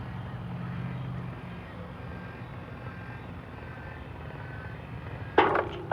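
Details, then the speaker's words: Chamberlain LiftMaster LA400 gate operator, which should soft close, starting slow and speeding up: motor hum runs and fades, then two sharp clanks half a second apart as the arm slams into its travel limit without slowing; no soft stop. "so i don't know what the deal is with the the soft close but it should soft close and it's not"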